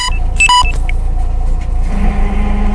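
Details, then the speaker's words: Manual car: idling rumble, then a steady low drone with rough grinding, occurring randomly when shifting with the clutch pressed and continuing in neutral with the clutch held in; cause unknown. "I can put it back in a neutral where it's not in gear or anything and it will still continue grinding so that's my clutch grind whatever it is"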